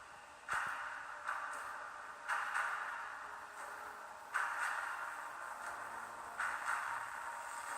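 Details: MSI GS72 6QE laptop about 11 minutes from cold start under gaming load, speaker audio thin, harsh, bass-less and breaking up in bursts before cutting out entirely; owner suspects an overheating motherboard or sound card part, returns after cooling.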